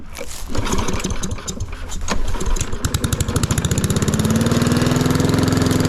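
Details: Lawn mower at idle, already hot, after fitting a $20 Amazon muffler: catches, stumbles briefly, then settles into a steady, even putter; sounds healthy.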